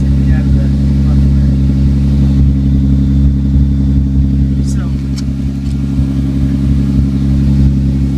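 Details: 1998 Toyota Sienna idling: loud deep rumble with a rough pulsing edge as exhaust escapes from the side of the muffler as well as the tailpipe.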